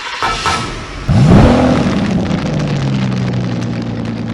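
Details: 1983 Oldsmobile Cutlass Hurst/Olds 15th Anniversary, 307 high-output V8 with automatic, 85,805 miles, heard at the rear: engine catches, flares in a quick rev, then settles into a steady, even deep burble at the tailpipe; normal exhaust note.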